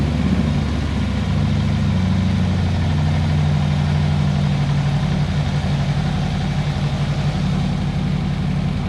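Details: 2014 Harley-Davidson Electra Glide V-twin after oil change, in neutral, oil light going out as pressure builds: deep steady loping idle, even firing, no knocks, ticks or rattles; normal idle, no leaks.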